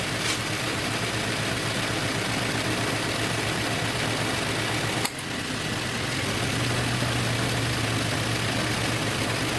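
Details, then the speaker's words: 2013 Infiniti G37 with a misfire that a parts store blamed on the coil, codes just cleared: uneven, lumpy idle with a stumble as a cylinder cuts out. Cause unconfirmed. "These misfires come right back. As bad as this thing here is cutting out, the misfire should come right on back."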